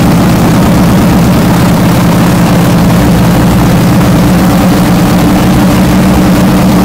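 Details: First fire-up of a freshly built 393 cu in V8 pace car race car engine (Trick Flow heads, Comp cam, Wiseco pistons, MSD ignition) on a cold January morning: catches and settles into a steady lumpy rumble, even beat, no knocks; healthy idle.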